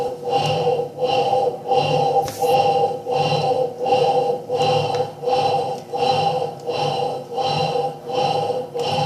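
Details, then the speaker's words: Electrolux Turbo Limpeza washing machine, noisy while washing: agitating with loud humming growl and knock on every stroke, a worn motor bearing. "eu posso perceber que vocês com certeza também esse barulho é um barulho de rolamento de motor"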